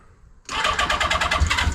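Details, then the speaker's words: 1980 Honda CB650C with the original OEM 4-into-4 exhaust just refitted, very cold start after sitting a couple of months. Choke fully out, throttle pumped to work the accelerator pump. Catches at once into a quick, even four-cylinder beat; clean, healthy start. "okay a very very cold start here hasn't been running oh at least a couple months I start it up every once in a while"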